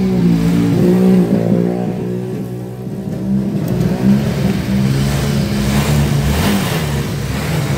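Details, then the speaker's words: Honda Vario 125 scooter with a rough engine: revving gives a deep, coarse rumble under the exhaust note that rises with revs. The mechanic attributes it to a worn left-side crankshaft bearing; the engine is being split to replace it. "oke Bisa jelas ya untuk suara motornya jadi suara motornya bergemuruh nah ini biasanya disebabkan oleh bearinguk as khususnya bagian sebel seb sini ya sebelah kiri kalau misalkan posisi ke depan ya bearing kuk asnya"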